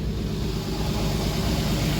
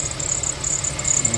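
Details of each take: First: Infiniti FX35 after replacing the squeaking drive belt with a new Continental belt (old one cracked and dry): smooth, even idle with a steady low hum and no squeal or chirp; normal idle. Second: Infiniti FX35 at idle, squeak briefly silenced by WD-40 on the drive belt then returning as it dries: sharp high irregular chirps over smooth idle, sounding like a bearing but actually the worn belt slipping; belt needs replacement.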